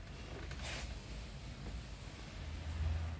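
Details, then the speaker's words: Kia Sportage 2.7 V6, which had P0301/P0303/P0305 misfires and surging, after a new timing belt and tensioner: low, soft, even idle with no stumble or surge, much better than before; normal idle. "that's a lot better it's way better"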